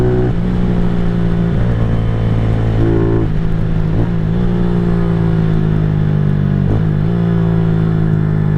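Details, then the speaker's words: 2023 Venom SS3 KP Mini 150 on first ride after a Nibbi 26mm carburetor (35 pilot, 110 main, needle 4th position) and aftermarket muffler/midpipe, around 51–55 mph GPS; clean rise and fall through shifts, no downshift popping; exhaust leak-free. "sounds good, no popping or anything when I downshift. Means there's no leaks in it."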